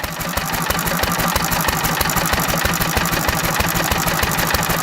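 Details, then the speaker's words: Antique stationary engine running on nearly pure Sea Foam with the mixture set very rich, making plumes of vapor and white smoke. Slow, heavy, somewhat uneven firing, about three beats a second; labouring on an over-rich mixture and wanting to die. "run it a little richer yeah I've got it so rich flavoring a little bit oh my goodness"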